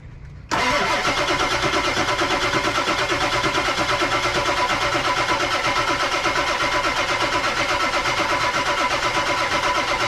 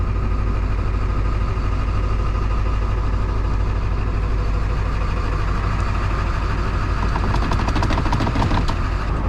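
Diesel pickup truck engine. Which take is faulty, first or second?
first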